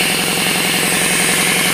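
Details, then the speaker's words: RamAir electric air compressor, restarted after a no-start and broken fitting repair, pumping to about 50 psi: fast, even pump chugging under a loud continuous hiss of air escaping around the regulator shaft with the regulator supposedly off; air leak at regulator. "once again this is supposedly off but it's still flying I think this is uh this is the tank side but it'll um it'll work its way up a little bit up to about 6 there but uh let's again it's squeezing all the air around the"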